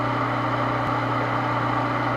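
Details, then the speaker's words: Water pump that only hummed without spinning, now repaired after the stuck part was freed: steady electric hum with a low constant buzz as the motor spins freely and runs evenly. "Ayun gumaano umandar na. Ayun lang mga kaibigan at napakadali. Ayan ayan po ay umandar na siya."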